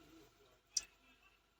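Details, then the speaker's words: Toyota Hilux 2GD push-start with code P0504, brake pressed, after the brake switch fuse was replaced: a single sharp click at the button press, then silence with no cranking; no-crank from the brake switch circuit. "Wow, nothing, it doesn't start at all."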